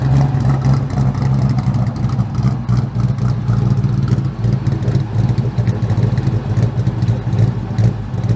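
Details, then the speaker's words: 2003 Mustang GT after a 4-valve engine swap and new mufflers: deep V8 with uneven lumpy idle and some clatter on revs; running rough, owner suspects a connector or wiring issue, possible water leak unchecked. "e a water leak somewhere didn't check that but cars running a bit rough um we still have i think a connector issue or wiring issue but let me start it up so you guys can hear it"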